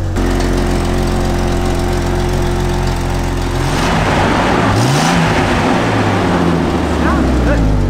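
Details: Jeep Cherokee XJ bought for $900, plugs and distributor untouched: steady, even idle with smooth firing rhythm, then a brief rev that rises and settles cleanly; engine runs healthy.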